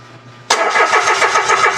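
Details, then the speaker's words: Mitsubishi Mirage that died while driving, scanner shows no ECU or electrical faults, fuel line disconnected for test: steady even cranking that never catches, no fuel pressure (expected 50–60 psi); cut pump wire or failed fuel pump, pump replaced. "Okay. Wala na. Alam na kaagad natin yung problema nito. O, walang fuel."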